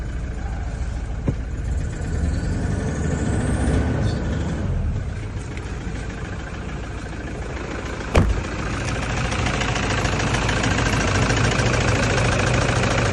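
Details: SUV with a Toyota 1KD diesel engine idling with a loose, uneven metallic rattle of about three per second over the diesel clatter; source of the rattle unconfirmed.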